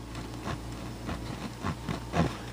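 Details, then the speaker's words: 1927–29 Rola speaker under restoration, cone pushed by hand: scratchy rubbing bursts about every half second as the voice coil drags in the gap. The fix planned is thin paper shims to center the coil and lifting the cone; the surround and felt also need repair. "keep the uh the speaker away from that uh voice coil down there you can hear it listen to it rub here"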